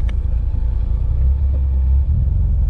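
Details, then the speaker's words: 1984 BMW E30 M10 engine after high-idle fix (faulty ICV control box, ICV itself good), not fully warm: deep even rumble at steady idle around 1000 rpm, no hunting or surging; should drop slightly when warm; belt squeal remains. "so i'm idling right around a thousand and it it'll go down a little bit when it warms up not much but i'm okay with that"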